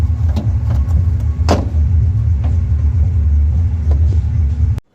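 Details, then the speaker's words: Renault Kwid 1.0 heard from inside the cabin: deep steady rumble with occasional sharp taps as the front right door buzzes and rattles. Cause is the old, worn rubber door seal, which was removed for replacement. "भीतर से गड़गड़ाहट आवाज आ रही है, यह मेरा मतलब अंदर से है।"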